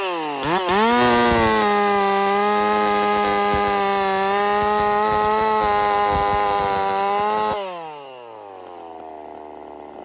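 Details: Husqvarna 50 Partner 5000 hybrid race chainsaw on its first cuts after a rebuild with a machined piston taper, in wood too big for the bar; a strong, steady high howl holds revs while cutting, then drops smoothly to idle. Normal running under load.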